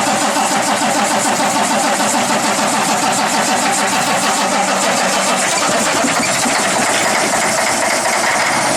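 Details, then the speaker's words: Cummins ISX CM871 diesel after bad injector replaced, fuel system rather dry, key cycled 5–6 times, front 3 injectors never drained: catches after cranking and settles into steady even idle clatter, no misfire or knock; normal start and idle. "The fuel system's rather dry, but we let it cycle. We let the key switch cycle about 5 or 6 times. And it shouldn't be too bad because we never drained the fuel out of the front 3 injectors on this one."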